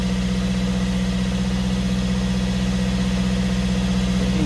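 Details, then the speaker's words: Fiat 500 diesel with replacement engine of unknown history, after swapping the clogged DPF for another unit; previously it poured plumes of smoke, now small diesel ticks over at steady even idle, clean low hum, no misfire, knock or hunting; normal idle. "but it's running and whereas before we have plumes of smoke coming out now we've changed DPF over"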